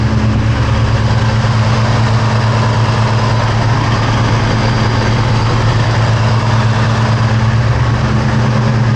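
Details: 2003 Ford SVT Cobra V8, first start after valve guide and seal repair with engine removal and partial teardown; cold, rainy, humid day, warming up. Deep, steady burble with an even pulse and no ticks or knocks; condensation in the exhaust; normal, healthy idle.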